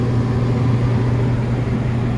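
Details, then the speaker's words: Rooftop exhaust fan whose loud noise came from failing motor bearings, after repair: the motor runs nice and quiet with a steady, even low hum, no knocks or squeal, clockwise rotation, drawing 8.5 amps. "all right we're gonna power it up and check rotation rotation should be clockwise so let's see what happens here Polly doesn't blow up in my face nice and quiet 8.5 amps"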